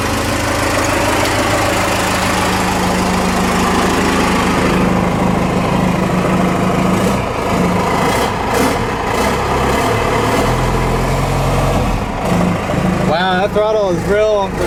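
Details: Ford F-150 with swapped Cummins 6BT diesel, first start after front fuel tank return line and hose work, about six gallons fuel: catches into deep, steady clatter with crisp throttle response, turbo whistle, no smoke; normal running after start.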